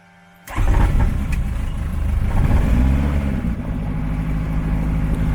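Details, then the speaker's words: Fuel-injected turbo Rotax (EDGE Performance) on a RANS S-7S aircraft, first start at 60 psi oil pressure with throttle a little low: quick crank, instant catch, smooth even run with no misses; a healthy start. "I have to throttle a little low and it's still fired right up"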